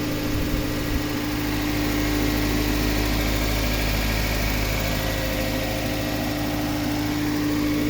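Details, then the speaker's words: 1997 Toyota Corona Exsior, 4A 1600 cc petrol engine, automatic, never run on gas: steady, even idle with no stumbles or misses, no smoke or blow-by; engine healthy. "เครื่องยนต์ติดไปแล้วครับผมนะครับเครื่องยนต์ทำงานไปแล้วนะครับผมเครื่องยนต์เดินเรียบๆนะครับไม่มีสะดุดนะครับลูกค้าลองฟังเสียงเครื่องยนต์นะครับ"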